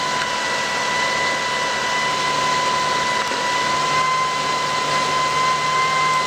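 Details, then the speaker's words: 2005 Lexus ES330 3.3 V6, alternator bearings failing, battery light came on but still charging: steady high-pitched whine over engine run at startup, constant throughout; alternator bearing noise. "but I will give you all a start up and you can hear the noise as you can tell that's pretty long pretty annoying"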